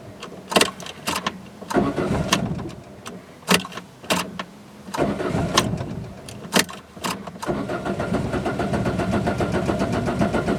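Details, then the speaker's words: Peugeot 206 with suspected stuck-open thermostat, rough idle and suspect throttle position sensor: repeated short cranking bursts with stumbling catches before it fires and settles into rough idle; hard starting when cold. "and now it's stable at about 90 C so zuka is starting quite bad when it's cold"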